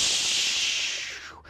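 A short, sharp hiss of air escaping and fading out as a loosened hot tub heater fitting bleeds an air lock.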